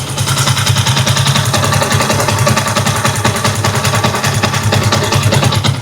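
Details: Small motorcycle engine with about 50,000 mileage, after replacing a camshaft and a roller rocker arm that had free play and causing a head noise: steady, even idle beat with no clear top-end ticking.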